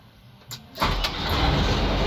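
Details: Howo A7 truck (371) after ignition wiring restored to original from a prior Isuzu-style conversion: brief crank, then engine catches at once and settles into a steady, even run; normal start.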